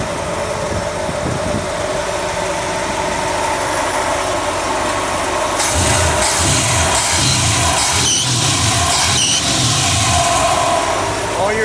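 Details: Engine after replacing the #4 cylinder lifters (one collapsed, one stuck), rockers set at half a turn, distributor at 10° BTDC: catches and settles into a steady idle with only a faint top-end tick; tapping and rough idle gone.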